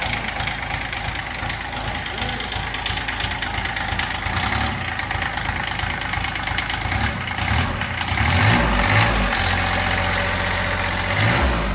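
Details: Toro Workman 3300D/4300D diesel bought in pieces at auction, missing its starter, water pump and alternator, running unloaded: a steady idle clatter with a couple of slight rises in speed. It runs fairly evenly and healthy; compression is uncertain.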